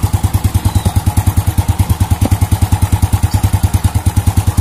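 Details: Old Honda Supra motorcycle after repairing the clutch outer that was loose on its rivets: steady single-cylinder putter, about ten even pulses a second with no knock, also clean when revs raised; clatter cured, healthy idle.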